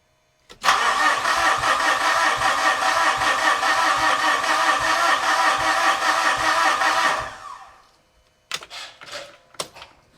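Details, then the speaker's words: 2013 Mitsubishi Fuso FG diesel, after fixing a fuel leak and bleeding the electric pump: starter spins with an even steady beat about six seconds but never fires; cranks, no start, possibly air still in the fuel system. "All right, as expected, there may still be a little bit of air in here, and still not seeing any fuel leaks, so that's good."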